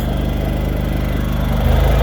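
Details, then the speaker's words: Champion 8500 W dual-fuel generator running on propane after starting: steady, even low drone with smooth firing beat, no knocks or surging; runs cleanly. "Trucking along really right."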